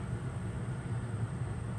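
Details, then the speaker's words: 15k BTU RV air conditioner in a Forest River Cherokee Alpha Wolf 26DBH-L on 120V/20A house service, switched from fan high to cool low to limit surge; low labouring hum with slow uneven pulse, compressor running really slow, breaker may trip but holds. "can hear it's running really slow wouldn't be surprised if it kicks the breaker"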